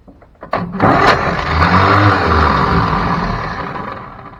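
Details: 1957 Chevy 3100 pickup, original six-cylinder sat 57 years: a few quick clicks then a short whirring spin fading without catching; the starter won't stay engaged to crank; owner suspects the starter, not the flywheel.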